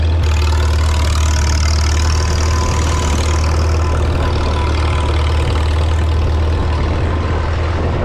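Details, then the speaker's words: 1952 Farmall Super C tractor after distributor work (rotor prong bent up; owner unsure if stuck mechanical advance caused the miss): deep, even idle with steady low beat, no misses, stumbles or knocks, smooth and healthy. "I'm happy that it's finally fixed and running well so I'm going to start it up and let you guys hear it"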